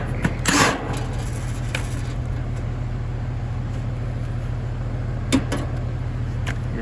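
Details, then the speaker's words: AC unit about three or four years old that is not cooling: a low, steady buzzing hum with no healthy start-up surge as the compressor strains. The technician diagnoses a failed 45/5 run capacitor by ear and notes poor airflow speeds capacitor burnout. "three or four years old so i pretty much know what the problem is just by listening to it capacitor is out"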